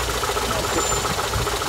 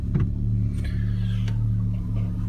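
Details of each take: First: Daewoo Lanos/Sens petrol engine idling with a sharp, even knock about seven times a second; cause was a loose crankshaft pulley nut, not the water pump, gasket or alternator as suspected; tightening it stopped the knock. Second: Daewoo Lanos/Sens engine after a loose nut was found and retightened: smooth low idle with a steady pulse and no rhythmic knocking underneath; quiet and healthy.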